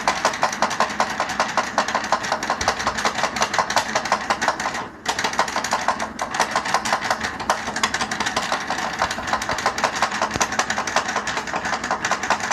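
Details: Powered chair that sounds like a tractor: rapid, rough clattering ticks running steadily throughout from the chair's drive; cause unknown.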